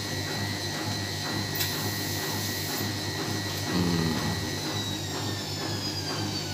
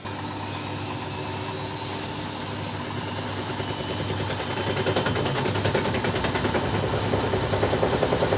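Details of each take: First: Side-door front-load washing machine after repair of hard vibration during spin: steady motor whir with even rhythm at maximum spin speed, no heavy thumping or vibration; normal spin cycle. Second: Front-load washing machine spinning up: heavy rhythmic thumping about three beats a second builds as the drum spins, the machine rocking because its feet were placed incorrectly.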